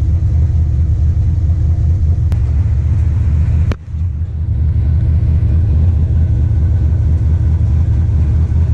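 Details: 1996 Dodge Ram 1500 5.2 L Magnum V8, code P1391, warm engine: deep steady rumble at raised revs (~1600-1700 rpm) with a brief stumble, misfire-like; rough running traced to faulty cam/crank position sensor, fixed with a different-brand quality sensor.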